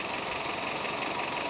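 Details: Toyota 22RE rebuilt engine in truck, about 25 miles after rebuild, no leaks: steady even hiss and patter, no knocks or misses; idling smoothly and healthy.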